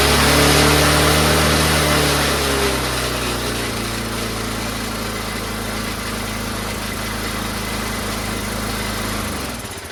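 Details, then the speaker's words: Troy-Bilt 22-inch mower, 4HP Briggs Quantum single-cylinder, throttle plate had no governor connection, owner-made linkage fitted: settles from a faster run to a steady, even lower speed; improvised governor linkage. "So I just tried to make my own whatever, and well, here it is right now. have it idling. If you push it forward, it'll go really fast. You just gotta find the sweet spot, you know?"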